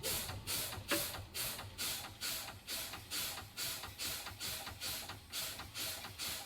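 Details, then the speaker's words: CDL pre-trip brake test on a truck with the engine off: the brake pedal is fanned, giving repeated sharp air bursts about twice a second, to drop pressure until the low air warning and spring brake activation. This is normal. "I'm now going to do my low air warning device, spring brake activation. I'm going to fan my brakes."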